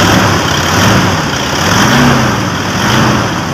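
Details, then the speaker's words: 2012 Toyota Innova after alternator clutch pulley replacement, engine lightly revved: smooth even running, no scraping or grinding from the front; metallic scraping noise gone, alternator healthy. "okay na, wala nang ingay. Wala na yung parang nagkakaskas ang bakal."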